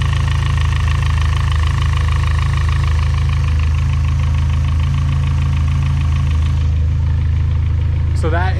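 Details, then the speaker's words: Built turbo petrol engine on 20W-50 oil, before switching to 5W-20 for winter: steady idle with a light, even tick at about three per second from the head and cam area. Owner hopes thinner oil will reduce it; cause not confirmed. "noise that i am talking about it is coming from the head and the cam and all of that or in that area so uh we'll see if thinner oil will alleviate that"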